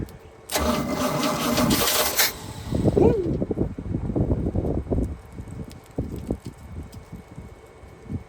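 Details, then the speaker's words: 1976 GMC C20 big-block truck, stored for 30 years, first start attempt: fires for about two seconds with a loud burst, then sputters and dies; owner suspects the fuel pump isn't filling the carburetor bowls, and no oil pressure is seen yet. "She barked off for a second. I don't think our I don't think the pump is working on the bowls here."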